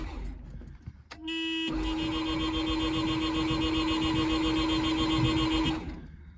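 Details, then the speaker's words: 1984 Mazda RX-7 GS, 12A rotary, first start attempt after a new battery, fresh gas and starter fluid; starter whines steadily about four seconds without catching; cranks, no start, owner suspects compression or plugs. "Oh, couldn't get her to start."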